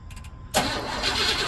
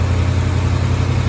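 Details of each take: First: 1985 Chevrolet C10 with carbureted Quadrajet engine, unstarted for one to two weeks, during cooling system repair: several seconds of starter churning with pauses before catching. Owner expected a long crank as the Quadrajet leaks down. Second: 1985 Chevy C10 idling after a cooling-system flush (gunk, sticking thermostat), refilled with distilled water: steady deep low V8 rumble with an even pulse, no knocks or squeals; healthy idle.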